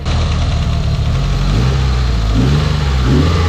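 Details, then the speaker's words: Mitsubishi Evo VIII, tuned built turbo engine, after finding the dump tube rubbing the radiator caused the rattle and pulling the radiator back for about 3/8 inch clearance; deep, smooth revs rise and fall cleanly, no rattle, scrape or clunk; normal. "as you guys just heard this thing sounds absolutely beautiful absolutely perfect now not any screeching or scratching or clunking or threading or no sus noises going on"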